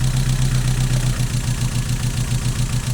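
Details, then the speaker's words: Mazda MX-5 at idle, with the misfire worse when cold, pulling HT leads one at a time: thumping idle barely changes with the number 3 lead off, so cylinder 3 is weak. Its coil pack is to be replaced. "Not so much on number 3. Very obvious on 2. Or not very obvious. Yeah, it is very obvious on 2. And very obvious on 1."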